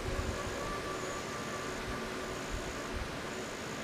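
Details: Quiet, steady low idle rumble with no ticking or puffing at the exhaust joints. The exhaust was refitted after a PTFE fuel hose swap and its joint leaks were sealed with sealant; a swab strand check shows it sealed and running normally.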